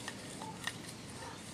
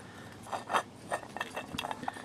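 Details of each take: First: Toyota Tarago/Previa/Estima TCR10: a used replacement water pump turned by hand, near silent with faint handling clicks and no play. The old pump's bearing had unseated, ground against the pump and leaked. Healthy pump. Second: I push that onto the bearing properly, you can hear it quietens up. So what's happening is this is grinding against the pump as well.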